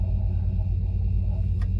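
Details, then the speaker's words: 2002 Land Rover Discovery II, one owner, 103k miles, rear air leveling suspension: EAS compressor engaged while holding the rear leveling button, steady even low hum, nice and quiet, not strained, no knocking; normal air suspension compressor running. "Pump sounds nice and quiet, not strained or anything like that."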